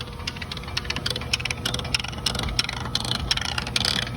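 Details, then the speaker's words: 2007 GM 4L60E automatic transmission in neutral, before a Z-pack rebuild: uneven rattling with sharp ticks over a steady idle. Owner suspects the pinion bearing or the four-gear planetaries, unconfirmed. "It is Sounds like definitely a not pinion supposed to be bearing. making that sound. Sounds like, oh, I have it in neutral. It's still not supposed to be making that sound."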